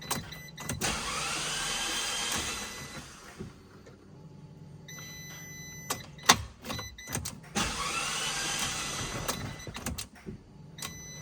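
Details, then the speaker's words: Abarth (Fiat) with a seized wheel: starter spins the engine fast and light in bursts with no compression pulses; cranking with no compression, cause unconfirmed, valves suspected. "So, basically it crank. However, uh it doesn't have a compression."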